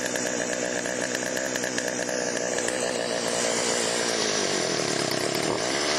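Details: Chainsaw after Texas ice storm: high buzzing two-stroke scream holding revs with slight wavering, no sputter or bog; could be fine-tuned but ready to go.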